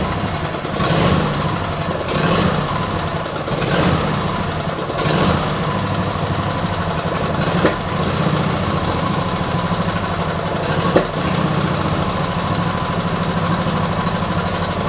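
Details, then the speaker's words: Small petrol engine with automatic choke, cold start left at idle: uneven idle with loud irregular thumps every second or two; owner first suspects choke, then water in fuel from washing; carb never cleaned, cause unconfirmed. "It is cold, and it does have automatic choke. Which I imagine is acting up a little bit. Nah, we got something else going on here."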